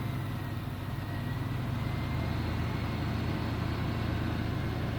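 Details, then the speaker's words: GMC Typhoon, first start after sitting over 10 years, cold with the temperature gauge at the bottom, no throttle applied; low, even idle with no knocks or misses, still blowing a little smoke that may be residue burning off, normal idle. "That's pretty smooth. It's still blowing a little bit of smoke, but it could be still burning off all that crap that was in there."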